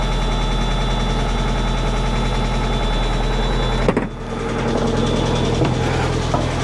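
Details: 1991 Mazda Miata idling after timing belt, front cam and crank seals, crank sensor seal and valve cover gasket replacement, coolant refilled, not yet at operating temperature: steady, even idle, smooth low hum, no knocks or ticks; runs healthy.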